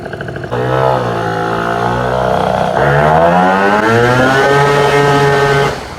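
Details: Vento Triton R4 two-stroke during a carburetor re-tune with the intake shroud on and temperatures around 187. On a top-speed run the single revs climb smoothly with no popping or stumbling. Normal full-throttle acceleration.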